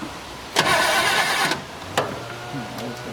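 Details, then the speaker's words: 1972 Chevelle Malibu, original small block with automatic transmission, sitting 15 years; starter fluid sprayed. Short burst of cranking with no firing; no spark confirmed, and the owner plans to check the coil and replace points, cap, rotor, plugs and wires. "pretty much what I thought I'm not getting spark at all"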